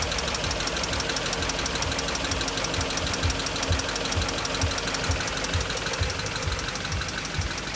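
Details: BMW X5 after timing job: even idle with light tick about twice a second following engine speed; top-end ticking not yet traced.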